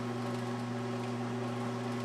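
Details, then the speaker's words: 1982 Montgomery Ward Powr Kraft 230 A stick welder after repair, running at full current; steady low hum with a faint rattly buzz from the welder vibrating on the metal plate it sits on, quieter when moved to the floor. "She's making some vibrating sound just because she's on this metal plate here. I think if I put it on the floor, it wouldn't quite wiggle as much and vibrate."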